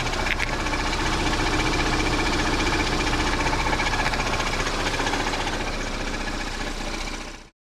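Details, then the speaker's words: 2016 Ford Edge 2.0L EcoBoost four-cylinder with 6F35 transmission, warmed up at idle: a low rattle and the high-pressure fuel pump are audible from under the hood, and a quick, even knock about four per second is heard from below. It was first thought to be rod knock but was a cracked flexplate. "Under the hood, you just hear a low rattle. Don't hear it much, but then you can hear the high pressure fuel pump. Then if you come down here, you can definitely hear what I'm talking about."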